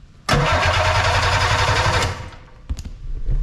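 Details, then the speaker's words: Arctic Cat Puma Deluxe 340 snowmobile, sat about 10 years with bad gas; fast, even electric cranking about two seconds but never fires, no fuel from Mikuni pump; cranks but won't start. "It cranks. I knew it turned over."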